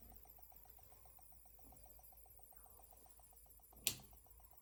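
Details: Dell B2375dfw printer, under 1000 pages, stopped waking from sleep and now has no power; CR2023 backup battery replaced; faint fast ticking about six per second, high whine and one sharp click from the PCB side.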